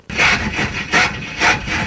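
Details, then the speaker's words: 1974 Jaguar XJ12 drag car (Draguar) with blower belt off, cranking: harsh rasping grind surging about twice a second as the loose starter fails to mesh cleanly; starter found fully falling off, dangling, then refastened. "I know everything else I have bolted on fell off but that was tight start is fully falling off it's a dangler"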